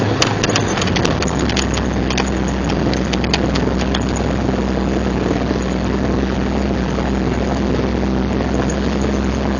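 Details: 1999 Jeep XJ lifted 6.5 in, driving in 4WD Hi/Lo: steady low drone and rough grinding hum from the front, persisting after new axle U-joints, rebuilt Dana 30 carrier and pinion bearings, and rebuilt front driveshaft.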